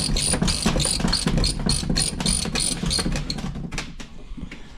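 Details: 2025 Polaris General XP 1000 4-seater, about 700 miles, Walker Evans shocks squeaking since new: sharp high squeaks about three per second as suspension cycles; no squeak with pressure off, likely not rod ends.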